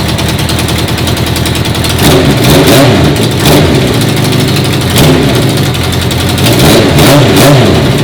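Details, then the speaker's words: 1980 Honda CB650 carbureted bobber, first start after the carb O-ring fuel leak was fixed. Loud, uneven note that surges and dips every second or two off choke. The owner says the carbs suck in too much air and need modifying; it runs better on choke. "When I turned off the choke, the bike really was getting too much fuel. And with the choke on, it's restricting the air, giving it more fuel."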